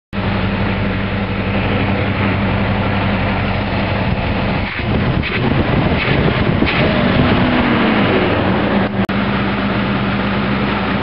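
A V8 petrol engine idles with a steady, deep, even burble and no stumbles or skips.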